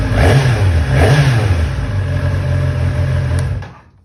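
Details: 2011 ZX-10R (Gen 4) engine, in a video on fixing cam chain tensioner rattle with a PSR tensioner: revs up and drops back twice, then settles and fades out, pulling smoothly with no rattle at the top end.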